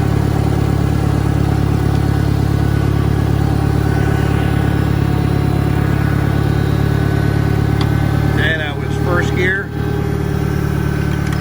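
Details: 1963 John Deere 1010 with Stanley muffler, original and properly maintained, 1,000 rpm, in gear on a backyard lap; steady low drone with a faint, even gear hum, no knocks or grinding. Normal straight-cut gear transmission noise.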